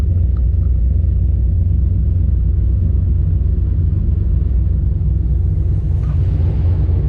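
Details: VE with a big V8 said to make 525 rwhp, just fired up and still not road-driveable: a deep, steady rumble with a slight lope that settles into a smooth idle with no knocks or misses.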